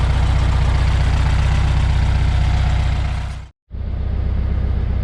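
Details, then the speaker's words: 1973 VW Beetle after installing reman Bosch 034 distributor replacing Pertronix, new coil, plugs, wires, timing 7–8 degrees, warmed up: even flat-four idle around 900 rpm, no stumbles or misfires; idling smoothly. "Well, I've had the Beetle running here for a good bit. No stumbles, no misfires, no nothing, which is better than the Pertronix was doing."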